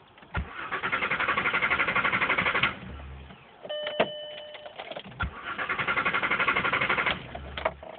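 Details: Mk4 Jetta VR6 with an intermittent no-start that worsened over time: the starter cranks in two bursts of even, fast pulses with a chime between them and the engine never catches. A battery cable is believed to be the cause.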